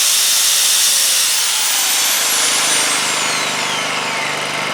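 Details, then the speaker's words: Honda EU2000i inverter generator after repair of a plugged exhaust with a new muffler and exhaust gasket. The steady bright hum rises and settles as the drill load comes on: normal running under load. "as you can hear it pick up uh throttle up a little bit under the load of the drill not bad that's that's not bad at [Music] all"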